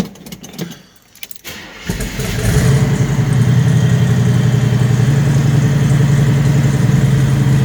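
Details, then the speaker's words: 6.9 diesel cold start, project with factory tach and push-pull tank switch: short crank, catches at once, settles into steady even diesel clatter; fired right up, sounds good. "Fired right up. Sounds good."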